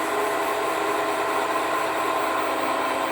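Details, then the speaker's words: Heads of a low-mileage 2018 Subaru WRX being rebuilt after a rod bearing failed, valve face ground to exactly 45 degrees on a refacing machine: steady even high-pitched grinding hiss as the wheel lightly touches the valve; normal refacing cut. "Don't ever send a valve out the door where you've done that. And I am grinding these to exactly 45 degrees."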